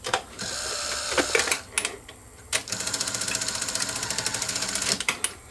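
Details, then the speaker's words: Sony SL-HF900 SuperBeta VCR previously serviced elsewhere: heavy clunks and fast mechanical chatter when loading/unloading tape; suspected loose metal post in plastic bearing, not confirmed. "sounds like all the other ones I've heard of thp Thum it's usually this is getting loose it's a plastic it's a metal post going through a plastic bearing"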